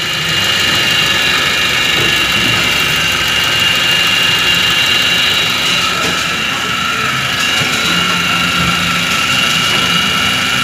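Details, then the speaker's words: Toyota Avanza with rough whine in engine area mainly on acceleration: steady high whine over engine, strengthening under throttle, loudest at upper idler bearing; worn upper idler pulley bearing, replaced. "suara desingan terdengar dari judul bearing atas yang paling kencang"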